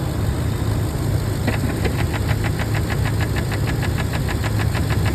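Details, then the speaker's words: 6.2L engine at idle: quick, even tick about five per second that sounds like a lifter or timing chain, but it comes from a faulty valve in the intake manifold. "it's these little valves in the intake manifold and when they go bad they sound just like a a a rod or not a rod knock a lifter tick crazy"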